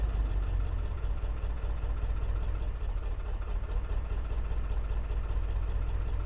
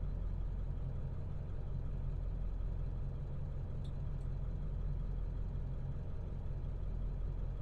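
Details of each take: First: 2002 Ford F250 7.3 Power Stroke diesel after priming fuel with key cycles: a deep, lumpy, uneven idle; code P1316 points to a failed injector driver module, which is being replaced along with the ICP. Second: 2002 Ford F250 7.3 Powerstroke diesel, previously rough idle, after ICP sensor and IDM replacement. Low, steady diesel rumble with an even beat and no misses, knocks or hunting: smooth, healthy idle.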